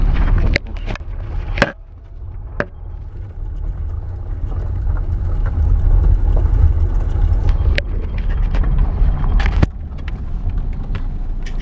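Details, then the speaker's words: Lada Granta cabin on a rough road after tightening three slightly loose steering cardan joints: low rumble and dull bump thuds, the previous steering rack knock gone. "Потрясающий. Стук прекратился. Я сейчас за рулём."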